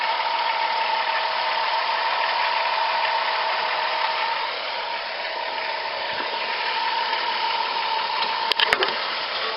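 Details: Van after tune-up with new 160 amp alternator (old decoupler pulley seized) and new idler pulley: even, smooth idle with no chirp, squeal or grinding from the belt side; accessory drive sounds healthy.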